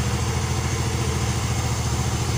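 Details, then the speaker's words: Yamaha Xeon GT125 scooter idling after cylinder block and piston kit replacement (it had smoked from the exhaust, probably from age): smooth, even low hum, no knocking or rattle; no longer smokes, exhaust okay. Normal idle. "the sound is smooth, my friends. Hi, it wasn't blocked by the server. It just doesn't smoke anymore, Erin. The exhaust is okay."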